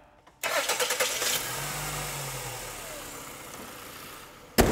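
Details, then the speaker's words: Car after accessory belt drive and tensioner replacement: quick crank, then the engine catches and settles into a smooth idle with no belt squeal or chirp; normal start. "all we need to do now is crank it up make sure everything's running fine take it on a test drive"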